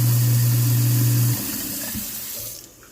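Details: Sink garbage disposal fed by the dishwasher drain line: steady low motor hum with water running about a second, then a clean spin-down; the disposal works normally.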